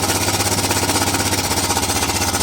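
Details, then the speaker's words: 2008 Honda Recon single-cylinder ATV, sat abandoned 15+ years, cold just after first start: rapid chuffing beat, lumpy and uneven at low speed; stumbling, needs more choke and warm-up. "Hasn't been running in probably a pretty long time, so I don't know if it needs Oops. That one needs more choke still."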